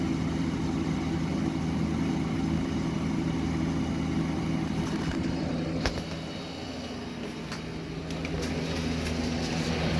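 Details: Vintage Eaton Viking dehumidifier with Tecumseh compressor and Electrohome fan motor, new grille fitted: steady low hum and even drone with a few light clicks; compressor running normally, slight vibration remains from an unbalanced fan blade.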